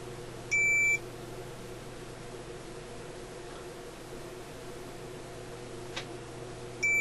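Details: Sparton Model 67 vacuum tube radio: two clean high continuity beeps about six seconds apart over a quiet hum, testing a re-soldered wire connection; the circuit is complete.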